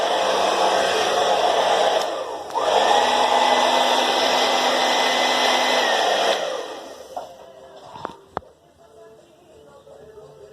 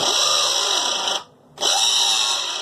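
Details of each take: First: Philips hair dryer after repair: a part had shifted and the blades were scraping the protective plastics; now steady even whoosh and clean motor hum, then off. Normal running. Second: Philips hair dryer: harsh, hissy scraping buzz that cuts out briefly and returns, then the dryer stops working; on disassembly a shifted part let the fan blades rub against the protective plastic housing.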